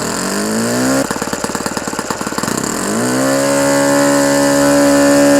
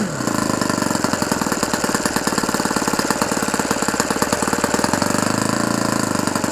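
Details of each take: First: Fully restored OS FS-120 Surpass four-stroke glow model engine, first run during break-in, tach reading about 8730 rpm, mixture still slightly rich: brief stumbling crackle, then a clean, steady high buzz; healthy high-rpm running. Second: Fully restored OS FS 120 Surpass four-stroke model engine, first run and break-in, around 8730 rpm at good temperature: rapid, even firing with a soft burbling edge. Still slightly rich, deliberately left that way for break-in.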